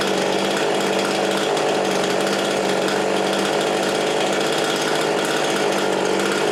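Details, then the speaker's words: Husqvarna 350 18" chainsaw after rebuild with new cylinder, piston, ring and gaskets, muffler gasket left off (possible exhaust leak), compression about 75: steady high buzz at constant throttle, no misfire, surging or rattle; normal running. "So I'm gonna call it done. It runs perfect now."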